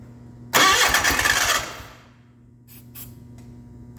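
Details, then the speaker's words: 1989 John Deere 420 garden tractor, long non-running, cranked on ether with an auxiliary fuel tank: a short burst catches and stumbles about a second, then dies; owner suspects lost suction pressure through an open pump exit. "okay so it sounds like i'm losing pressure suction pressure through the pump that exit that's open"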